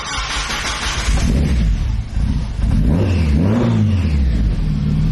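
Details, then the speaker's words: Turbocharged Mazda Miata four-cylinder after correcting exhaust cam timing (one tooth off) and loosening over-tightened belts: revs up and settles cleanly with no whine or chatter, now sounding better and more responsive; healthy running. "It sounds so good, bro. It's better, right? Yeah, it's a lot better."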